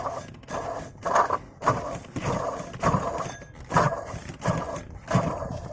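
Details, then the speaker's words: Porsche 986 Boxster with the belt off, water pump pulley spun by hand: rough, raspy grinding bursts from a worn water pump bearing, which needs replacing. "That's a water pump noise. So the water pump pulley is gone, so I've got to replace that."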